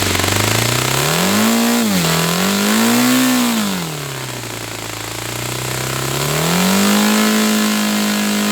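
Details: Saito FA-300T twin-cylinder glow engine, glow driver off, high-speed needle set 2.5 turns out. It revs up and down smoothly with a clean, steady buzz. Both cylinders are firing evenly: normal running.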